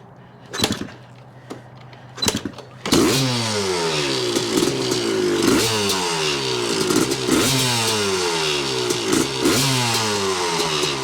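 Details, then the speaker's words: 1986 Yamaha YZ250 two-stroke, not run since 2015, reeds cleaned, running on a borrowed carb and throttle from a 1975 250 MX, choke on. A few kicks, then it catches and revs up and down crisply with a clean ring-ding, no misfire: normal running. "Well, that sounds good. Let me see if it goes in gear."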